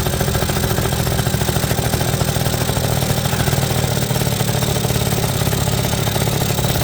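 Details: 1980 Suzuki FS50 scooter, roadside find sitting an unknown time, run on oil-heavy fuel mix: steady, even two-stroke idle with a smooth low buzz, no misses or surging; runs healthy, carburetor could use a little tuning.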